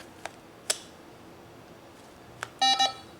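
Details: Power wheelchair (Quantum 4Front converted to R-Net electronics) as a PJSM joystick module is connected: a few scattered clicks, then a short run of quick electronic beeps as the controller auto-detects the new module, as expected.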